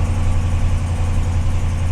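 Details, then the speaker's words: Ram truck that was reluctant to start: low, steady idle with an even rumble and no knocks or misses; the engine sounds healthy. "it sounds good that's a ram for you almost 200,000 mil she's still going strong"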